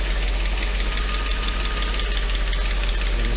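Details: Mercedes 500E W124 V8 first run, low oil (about six quarts); steady idle with loose, irregular knocking underneath and smoke; possibly low oil and unbled hydraulic lifters, uncertain.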